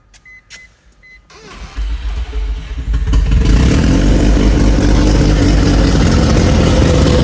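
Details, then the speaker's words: Barn-find Mazda RX-7 rotary, first start after a complete rebuild and 25 years off the road: the starter whirs, then it catches and roars with an uneven, lumpy pulse and heavy shaking. Rough running from incorrect ignition timing; the turbo oil-feed banjo bolt was also leaking. "So, it started, and it actually was running pretty decent. But the motor was not too happy. It was shaking like crazy, uh running really rough."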